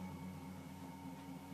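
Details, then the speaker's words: Bedini SG pulse motor with opened coil gap, carrying extra weight and driving a fan, accelerating slowly then shifting to single event per trigger, 82 rising to 88–89 cycles per second: quiet steady hum with faint higher tone, no stumbles. "this clear enough so you can hear it speeding up it's definitely speeds up slower because of the extra weight but then it shifts gears single event per trigger 82 Cycles a second 88 89"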